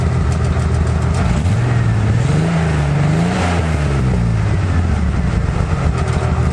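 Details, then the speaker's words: 1995 Ford F-150 with 4.9 L inline six and a leaky remnant dual Magnaflow exhaust: loud low drone rising and falling with throttle, uneven and blatty; running pretty rough, cause not known. "and uh we'll fire it up let you hear this thing later but it's pretty rough"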